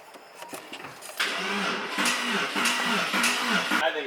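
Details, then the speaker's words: Porsche 911 first start attempt after refitting fuel pump: starter churns in steady pulses three or four a second, turns over but never catches; owner suspects needs more fuel or starting fluid. "going to start it sounds like it wants to more fuel more juice and maybe propane and uh or starting fluid propane"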